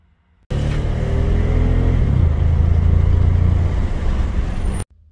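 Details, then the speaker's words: 2014 Ford F-150 3.5L EcoBoost under load with a flashing check engine light: a lumpy, uneven beat in the exhaust note from rough running, a severe misfire. "today I got a 2014 Ford F-150 with a 3.5 liter EcoBoost is rough running and a flashing check engine light under load"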